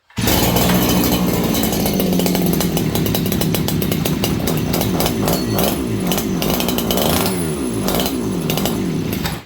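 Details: Farmertec 288XP kit chainsaw (two-stroke) just after an ignition repair, run at about 5°C before carb tuning: revs high and hunts, surging and sagging instead of holding steady; running lean.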